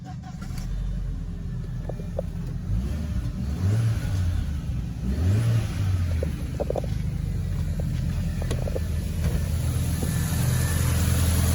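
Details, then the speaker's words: Audi B6 1.8T after replacing a broken serpentine belt idler pulley (battery light had come on, loud noise): engine starts and settles into a steady, smooth idle with no chirp or squeal. Normal idle. "I think everything is working okay."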